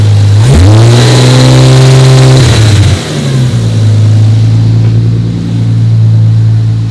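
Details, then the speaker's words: 1993 Toyota Supra RZ JZA80 with a 2JZ-GTE twin turbo, V160 Getrag gearbox, Blitz exhaust and Blitz ECU, not yet fully warmed. Being diagnosed for a misfire and hunting idle. It revs up and settles smoothly with a clean, even note and no misfire for now. "I didn't seem to be misfiring so far it sounds pretty good"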